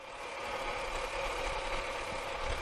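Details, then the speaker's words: 2006 Pontiac Torrent salvage rebuild, cooling system still being bled, ABS and traction lights on: smooth, even idle hum with steady pitch, no knocks or ticks; engine idling healthily. "but she sounds good looks good well she don't look good"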